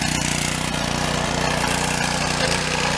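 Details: Honda-engine pressure washer after replacing its frozen pump with an aftermarket one: a steady, even engine hum with a quick regular beat and no knocking or grinding. It runs healthy.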